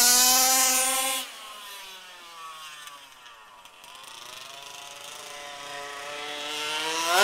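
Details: HPI Baja SS rebuilt from an eBay junker, Zenoah G320 two-stroke with V2 Dominator pipe on 91-octane ethanol-free fuel with Bel-ray oil at 32:1, during high-speed needle tuning: buzzy scream with a thin, sharp, crackly top end; slightly lean, later sorted.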